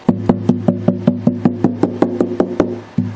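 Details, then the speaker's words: Martin D-28 acoustic guitar after bridge and saddle replacement, strings off, tap test on bridge and back: clean wooden taps at about 2.5 per second dying quickly, no buzz or rattle; bridge glue joint sounds solid. "I don't hear anything so that's a good sign usually I can hear it in a tap test"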